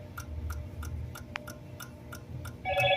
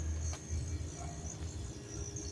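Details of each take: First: Samsung RS27KLMR refrigerator that stopped working after an electrical problem: fast, steady relay clicking, about three a second, from the DA41-00139A control board with an unstable power supply; fan running, damaged connector seen. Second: Samsung RS27KLMR refrigerator powering up after an electrical problem: the ice maker knocks, a sharp relay click follows, then a steady low hum as the compressor starts normally. A damaged connector cable still needs replacing.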